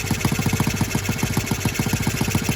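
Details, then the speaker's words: Restored Honda Z50R on first start with a loose cylinder head: a fast, even single-cylinder beat with a light chuffing tick on each firing from a slight cylinder head leak, though it still runs very well. "i mean little leaking cylinder head it's still running ridiculously well right there"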